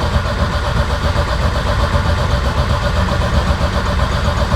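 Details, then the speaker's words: Big turbo sleeper wagon after finding the switched 12V source that cut out during cranking: engine catches and settles into steady low even rumble, no misses or knocks; starts and runs normally. "Alright, so that seemed to be the issue. We'll make sure we got power still. Now it should start."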